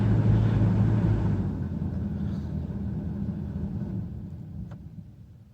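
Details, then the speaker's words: 2003 Dodge Caravan blower motor with the resistor tested outside its housing, key on, speed turned down from full blast: steady fan hum dropping in pitch and fading smoothly, normal speed response. "change it's off first speed second third and fourth full blast"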